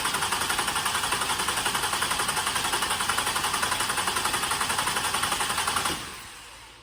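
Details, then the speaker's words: 2007 Toyota Highlander 3.3 L, crank no-start after difficult starts and sputtering, battery charger connected, fuel gauge shows no pressure: even cranking about four beats a second for six seconds, never catches; failed fuel pump suspected, voltage check at pump next. "we have no pressure here so next thing we're going to do is we're going to um access the fuel pump and we're going to check for voltage right at the pump"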